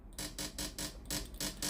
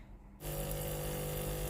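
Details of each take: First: Philips steam iron model AIS8540/80 powered on, front heater hot, water pump buzzing in quick regular pulses about four per second when the water button is pressed but no steam comes out; pump failed. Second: Philips AIS8540/80 steam iron with no steam output, after replacing the water pump: silent, then the new pump kicks in with a steady, even buzz and water spurts out; replacement pump operating normally.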